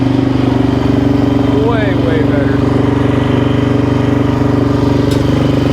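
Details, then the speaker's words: 2005 Suzuki LTZ 400 single-cylinder ATV after valve train repair (failed valve guide job by another shop), restarted with a little choke and idle turned up: steady, even thump, no top-end ticking; sounds really good, healthy idle. "that sounds really really good so that sounds really good actually I'm super happy about that"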